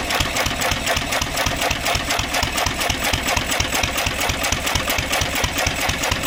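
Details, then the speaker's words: 1927 IHC M engine, restored 20 years ago and unrun for 19 years, after spark check and oiling, running on starter fluid because the AC Delco fuel pump diaphragm is shot. Uneven, loose chuffing beat around two per second with a clattery top end; fuel-feed problem. "So, I discovered that the fuel pump isn't working. So, I did try to mess around with it a little bit, but we're just going to run it off the starter fluid here."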